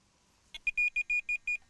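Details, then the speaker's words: Tx-i Plus bite alarm with receiver programmed, every alarm bleep relayed: six short even high beeps about a fifth of a second apart, clean and steady; normal bite alarm bleeps. "every single bleep on the buzzer is heard on here. And that's how I like to fish most of the time."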